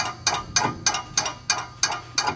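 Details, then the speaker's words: MKIV Toyota Supra project stripped with no diff or axles and open wheel bearings, possible past fire underneath; gritty clicking about three times a second as the bare hub is turned by hand, source unconfirmed; clicking and grinding noise when hub turned. "I'm not sure exactly what what's making all that noise but uh but yeah so for the most part though it's pretty clean"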